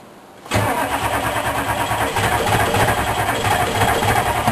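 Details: K3500 diesel with 4L80E, sat six months, cold start with ether spray: steady starter churn at roughly three to four beats a second with no clean catch; cranks but won't start.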